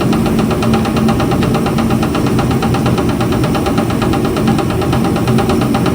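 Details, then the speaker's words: 1962 Ford Falcon with a freshly swapped replacement engine, running at steady speed; fast, even tapping knock, loudest at the back of the oil pan via stethoscope; owner is pretty positive the pan is being hit, not an engine fault. "All right. Yeah, it's really loud in the back of that pan when I didn't do this. All right. This is pretty This tells you pretty close where it's at. So, I'm pretty positive it's that pan, which are not fun to get off of these, but it's better than a bad engine."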